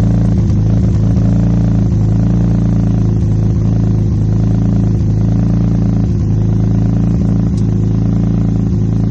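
Idle note wavers with uneven clattery dips, roughly three a second and not evenly spaced; a rough, lumpy idle. Cause suspected, not confirmed.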